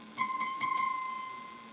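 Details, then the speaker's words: Restored Motorola 68L11 tube radio with the 1S5 tube reinstalled: clear bell-like ring near one kilohertz over soft taps, slowly dying away, ringing more when the radio starts up; microphonic tube ringing. "it rings a whole lot more and when the radio starts up"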